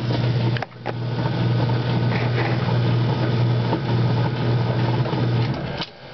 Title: Noisy coupler after greasing it